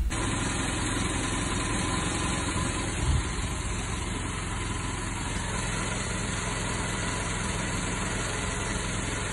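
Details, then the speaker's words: 1987 Mercedes-Benz W201 190E, non-catalyst KE-Jetronic, running slightly rich with slight miss and hard cold start: low, slightly uneven wavering idle, car visibly shaking; rough idle before ignition work and spark plug gap set to 1.9. "the car was running a bit rich and what's important the car was shaking on idle and that had to be fixed too"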